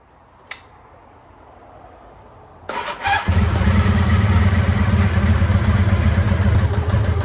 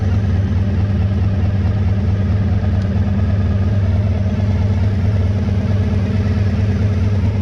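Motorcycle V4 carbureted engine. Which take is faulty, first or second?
first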